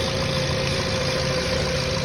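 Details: Hot Jetta engine (single coil pack with ignition wires) idles smoothly and evenly during water-spray test of coils and cables; no stumbles or misfire, ignition holding steady.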